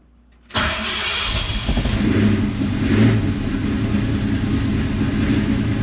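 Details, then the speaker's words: 1949 Ford truck with Aces Killshot EFI, cold idle: IAC wide open but idle stays below the expected 1100–1200 RPM, uneven with rough dips; throttle blips needed to keep it running, though the EFI should hold idle itself. "Here you can see our IAC is wide open again, but it's trying to pick up the idle speed. It actually should be around 11 to 1200 RPM at this point with it cold. I'm blipping the throttle to keep it running."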